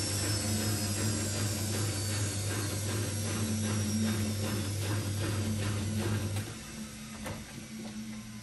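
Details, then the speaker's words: Old, heavily rebuilt washing machine with custom stainless drum spider and new drum bearings on first test wash: steady low hum with soft rhythmic swish as drum turns; odd noise resembles bearings but is just the motor, normal. "so I don't know if you can really hear it but that like weird noise it's making you'd think it was bearings she would it's just the m"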